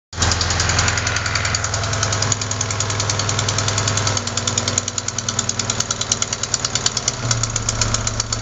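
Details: Sharp, fast, even ticking at idle keeping time with the engine; not lifters or rocker adjusters but a leaking exhaust manifold gasket at cylinder 4, which replacing the gasket should fix.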